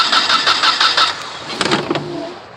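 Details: 1996/1997 Nissan Altima, crank no start after a fill-up: starter cranks evenly at about six pulses a second but the engine never catches; igniter gives spark, cause found to be a bad distributor rotor.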